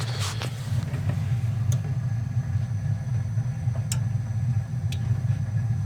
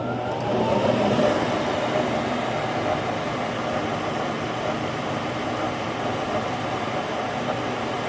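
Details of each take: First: Goodman furnace (installed October 2010) inducer motor gives a steady low electrical hum with no spin-up despite confirmed voltage; seized motor, causing no heat and a burning smell. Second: Goodman furnace after replacing the bad, humming inducer motor and fitting a new gasket, which had caused a burning smell and no heat: fan spins up with a rising whir, then a steady, even burner roar without rattles; running normally.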